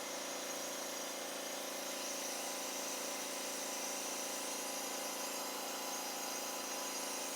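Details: Kawasaki FH580V engine losing power, compression about 160 and 140 psi: during the leak-down test, with the engine not running, a steady faint airy hiss of air escaping past the rings into the crankcase, heard at the dipstick; blow-by.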